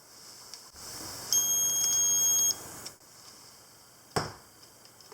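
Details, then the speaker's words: Olympus OM10 FC film camera with its power switch pushed fully forward for battery check: a steady high electronic beep lasting about a second, then stopping. "if you press it all the way forward it's a battery check and it beeps i'm not sure you can hear that"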